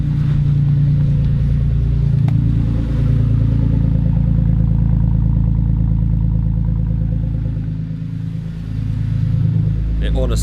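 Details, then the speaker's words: BMW Z4, roof off, cold start after sitting several days: deep throaty low rumble settling into a smooth even fast idle with no knocks or ticks; healthy cold start. "honestly sounds so throaty, it's ridiculous. It is ridiculous."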